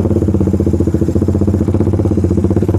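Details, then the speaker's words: Suzuki Satria Fi150 motorcycle riding with O2 sensor cable connected: engine chugs with uneven stuttering brebet hesitation between 1000 and 2000 RPM, clear at 2000, gone above about 3000 RPM; compared against anti-brebet cable and unplugged sensor. "kalian bisa dengerin aja suara motornya tuh ya kalau pakai kabel sensor o2-nya dipasang dari RPM 1000 ke 2000 Itu ada kayak mau berebet-breerebetnya sahabat ya"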